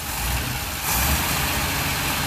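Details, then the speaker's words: 1962 Rambler American 400, cold with exhaust-heat choke on running rich, after new belt, radiator hose and clamps; revs rise cleanly, slightly rough, with no whirring, belt rubbing or bearing noise. "Ah, listen to the sound of silence though. Can you hear that? It just sounds like an engine. There's no whirring, there's no belts rubbing, there's no bearing noise."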